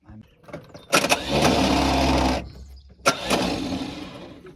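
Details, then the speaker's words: 1971 International 1110 stepside pickup from a salvage yard, starter solenoid previously not engaging: two cranking bursts, first steady about 1.5 seconds, second weaker and uneven; starter turns engine over but nothing fires. "richer tried it again and it is turning it's turning over yeah so got a little shot of that so let's just before this starter goes out we need to try"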